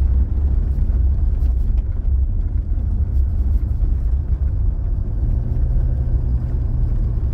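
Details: 2021 Toyota Hilux, 88,720 km, road test after reinstalling the steering column parts linking wheel to steering box, mic low near the column: steady road rumble, no clunks or knocks; the earlier column noise has stopped, column quiet and tight.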